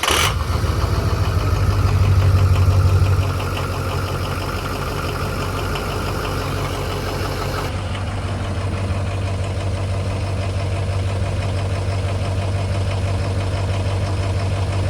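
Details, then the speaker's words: Freshly rebuilt engine, 164 miles on it, first cold start the morning after its first-ever fire-up: catches instantly, revs briefly, settles to smooth even low idle with steady rumble; normal cold start. "fresh engine first fire up of the morning the day after uh the first fire ever here we go"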